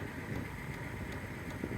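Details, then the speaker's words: 12V diesel heater running on high, fuel pump ticking evenly about two and a half per second during warm-up, expected to calm once warmed, with a truck idling nearby; heater powered through an AC-to-DC converter from a Bluetti EB3A battery. "so you can hear that ticking in there that's the fuel pump in there it should calm down once it's uh a bit warmed up I'm hoping"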